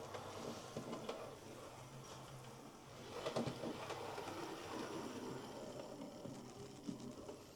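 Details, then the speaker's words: Hornby R2730 LMS Stanier Class 4P model locomotive, suspected of a split drive gear, running after the motor was refitted with the double gear and the valve gear reconnected. Light, even whirring with no kicking or thumping; runs smoothly. "And away it goes with no kicking, no thumping."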